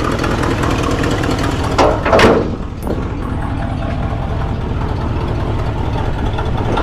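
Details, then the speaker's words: 1964 Ford Galaxie 500 convertible, original 289 4-barrel V8, 77,062 miles, heard from the rear; steady idle with quick light ticking following the firing, suspected exhaust manifold gasket leak. "hey dee i think once a guy gets rid of that uh exhaust leak this thing sounds pretty cool"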